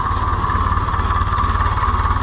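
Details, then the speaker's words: Oliver 1450 (Fiat) diesel tractor, first start after repairs with a new exhaust pipe, steering now effortless; deep, even diesel chug at steady idle, no knocks, misses or hunting; everything running, normal idle. "yeah I'm super pumped here I mean that made the steering perfect everything's running"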